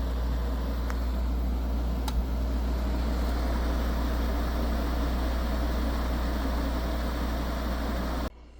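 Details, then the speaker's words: Newly installed window air conditioner running: steady low hum under even fan rush, no rattle, squeal or knocking; blowing ice cold air and sounds great, normal running. "This one is blowing ice cold air and it sounds great."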